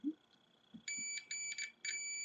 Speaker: A gente pode utilizar o multímetro na escala de continuidade aqui no diodo. E ele vai emitir um bip se a trilha estiver ok, tá bom?